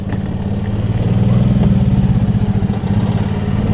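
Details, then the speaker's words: Yamaha golf cart engine after carb bowl and top jet drain and flush, running without choke: low uneven chugging that labours and dies beyond about half throttle; needs fuel mixture tuning, mixture screw set too rich. "but if you give it it's funny it's like as soon as you give it more than about half throttle it dies out they just need a little bit of tuning on the um fuel [Music] mix"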